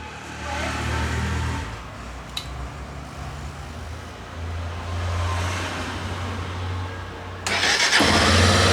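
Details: Honda XRE 300 after starter plate (placa de partida) replacement and fresh oil fill: a clean crank that catches quickly and settles into a steady run, no grinding from the starter side; normal electric start after repair.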